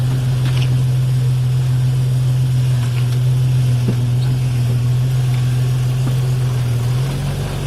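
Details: Drivetrain clunk recorded with the front driveshaft removed and all U-joints replaced: steady engine drone with faint repeating knocks about three a second, a little under 4 per tire rotation, suspected between transmission output and differential inputs; still present with the rear shaft out.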